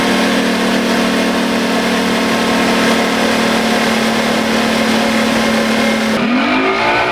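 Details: Outboard on test run after blown-motor repair, new prop of unknown pitch (old 3-blade 17 pitch did 44 mph); strong steady high-revving drone, then easing off cleanly with no misfire; motor runs excellent.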